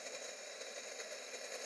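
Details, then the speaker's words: BMW E60 purge (fuel tank breather) valve removed for P0442 small EVAP leak, measured 34 ohms, energized with 12 V and air blown through: faint steady hiss then sharp click; valve works normally, broken connector clip suspected leak cause. "You can hear the purge valve working well putting the air through it. So, we know the purge valve is good but the clip is broken so we're going to replace it with a good one."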